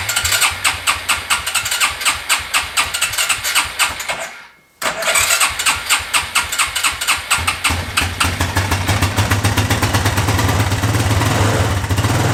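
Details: Yamaha Raptor 660 ATV on choke: starts, stalls, then restarts into an irregular chugging idle about two beats a second, smoky and blowing oil from exhaust; fuel-flooded crankcase diluting oil, rough running.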